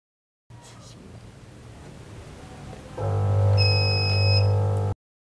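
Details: Polytron single-tub washing machine motor hums loudly and steadily the instant it is plugged in, then spins without load; after an earlier capacitor replacement, the fault is suspected to be a failed triac on the potted control module.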